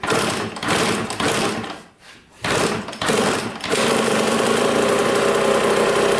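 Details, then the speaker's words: 1986 Kawasaki KX125 two-stroke running after carb cleaner was sprayed: the buzz drops out almost to nothing, stumbles, then picks back up to a steady crackle; it is sucking air through a cracked intake manifold boot, causing the bogging. "so pretty big pretty big air leak coming through that hole i mean that's a big that's a big gap so it's just sucking in air and that's why it was bogging so badly"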